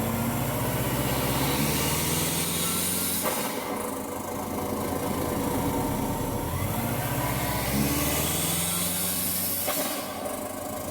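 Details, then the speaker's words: 1994 Subaru Legacy Turbo wagon with a new GFB blow-off valve fitted, idling poorly: an uneven, hunting idle with two rev blips and a sharp venting rush after each. Check-engine bulb burnt out, owner suspects a dirty mass airflow sensor. "okay so it's all hooked up it still doesn't want to really idle properly"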